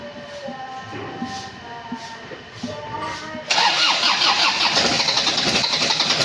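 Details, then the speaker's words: 2011 Isuzu Panther LS diesel after engine teardown (oil leak, rough engine noise; scored pistons found), rebuilt and refilled with oil: cranks a few seconds, fires cleanly, smooth even idle with light throttle blips, quieter than before; normal start and idle. "Gas sedikit lepas lepas lepas Mas alhamdulillah suaranya adem nih, Guys. Beda dengan kemarin ya."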